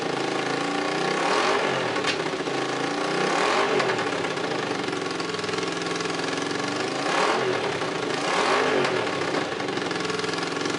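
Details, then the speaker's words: Honda CX500 motorcycle, running without radiator or coolant, with exhaust leaks at the head needing gaskets: twin idles steadily and picks up cleanly on short blips with no knocks or rattles; seems to run fine. "I don't know if you saw seeing sparks fly out of that head, but it seems to be running."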